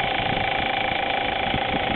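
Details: Audi A4 at warm idle, running about an hour, oil above 200 degrees: quick, steady light ticking several times per second, heard only at idle; fixed by replacing a bad hydraulic timing chain tensioner at the back of the head.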